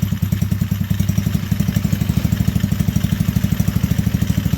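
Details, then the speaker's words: Hitachi T-Rex go-kart single-cylinder engine after crash repair and service, started with choke: small even, steady thumping idle with no misses or clatter. Normal idle. "Alright. So that sounds pretty good. Sounds pretty smooth, don't it?"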